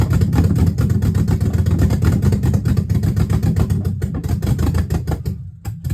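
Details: Dodge Magnum with a rebuilt/swapped Hemi V8, exhaust not yet connected, only O2 sensor codes left: loud revving with an uneven, lumpy beat and ragged firing; runs rough, owner suspects the disconnected exhaust, unconfirmed.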